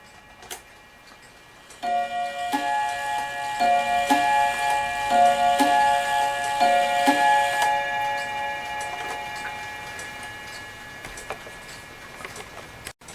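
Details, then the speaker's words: Dutch Friesian tail wall clock after bushing repair and reassembly: gong rods struck in pairs sound reversed because the single rod and double rod were mounted in swapped positions; chime rings in wrong order. "this single Rod here it's supposed to be down here this double rod here is supposed to be up where the single Rod is and so that's why it sounds like it's ringing backwards"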